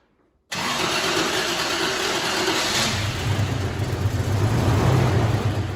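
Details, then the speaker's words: 1998 Toyota Tacoma V6, sat 7+ years, started after repair work: cranks, catches and settles into a lumpy putt-putt idle from a misfire that persists. "well yeah so we still have a problem obviously yeah still doing a bit of a putt-putt"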